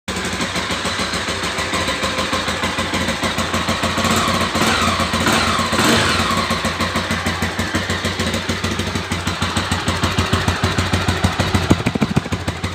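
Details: Single-cylinder engine idling with a fast, regular tapping riding on each beat, steady with engine speed; unexplained mechanical noise in the engine.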